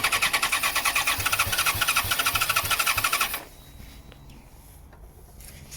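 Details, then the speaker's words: 2014 Yamaha XJ6S Diversion, under 12k miles, after refuelling an apparently empty tank: starter churns evenly at about two hundred compressions a minute for three seconds, never catches; owner suspects a fuel supply problem, possibly the fuel pump or water in the tank. "I mean, it was turning over and it's turning over well,"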